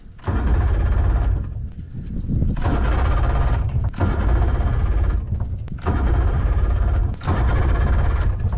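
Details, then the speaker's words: Carbureted 2-stroke outboard after repairing corroded ring terminals restoring engine power, primer bulb pumped firm and choke primed: starter spins in several roughly one-second bursts, nearly catching; wants to fire. "oh, it wants to go."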